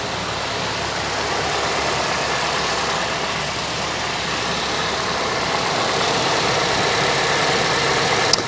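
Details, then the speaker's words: Kia Ceed GT-Line flood car, first start after repair and engine/gearbox refit: starts straight up, no warning lights, quiet even idle with soft steady hum and no knocks or misses; healthy. "started straight up there's not even a warning light on and she's running it's running really well actually sounds good oh she sounds really quiet"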